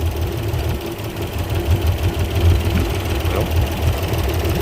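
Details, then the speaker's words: Port Yamaha outboard on a 385 Pursuit, running poorly, fuel uncontaminated: lumpy, shaking idle with an irregular low thump, one cylinder seemingly dead; coils about to be pulled to pinpoint the misfiring cylinder, cause not yet confirmed. "let's start just this one you can see it's shaking pretty bad so we can do is pull our coils and see what we can pinpoint what cylinder is doing it"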